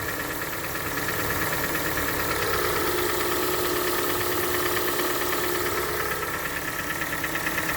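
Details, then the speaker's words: Hyundai ix35, 101,000 km, cold start: light fast ticking about three a second over steady cold idle, fading as it warms yet still audible hot; owner suspects hydraulic lifters, not confirmed. "так вот эта машина моя супруги и на холодную начался вот такой стук потом машина прогревается стук становится тише"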